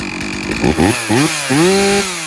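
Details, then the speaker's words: Stihl MS 460 Magnum chainsaw after rebuild (new top end, piston, ring, carburetor, muffler, fuel filter), already warm: revs climb and fall cleanly with the throttle and settle back to idle; normal running, slightly rich. "It said a little rich."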